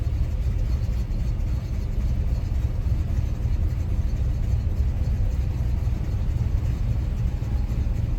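Cold-started engine idling with a deep, uneven low rumble that wavers rather than running smooth; a rough cold idle, cause unclear.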